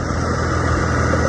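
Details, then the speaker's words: 1999 Acura TL after power steering pump replacement, flush and bleeding, engine idling: steady idle with no pump whine or groaning; air is out of the system and the steering is normal. "so no more noise so all the air is out of the system you wanna steer it and then listen that is normal"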